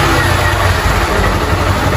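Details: Motorcycle brought in smoking with engine noise: short, steady single-cylinder idle with an even low putter and no knocking or ticking; the noise is gone and the engine sounds healthy.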